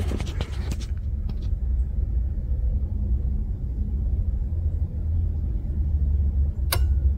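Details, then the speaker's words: Edelbrock Pro-Flo 4 EFI with Dakota Digital tachometer, after fixing tach-wire feedback that kept the ECU awake; after shutoff a steady low rumble, then one sharp click as the main relay drops out and the ECU sleeps normally. "yep and the relay kicks off so she went to sleep that's what we needed"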